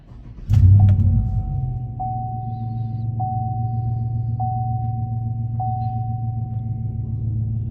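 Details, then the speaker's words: 2017 Chevy Silverado 1500 5.3 with a crank no-start, after repair: fires and settles straight into a low, even idle, no misses, chime overhead; proper fuel pressure, no warning lights, fixed. "And there you can see we're idling fine, smoothly. We have proper fuel pressure."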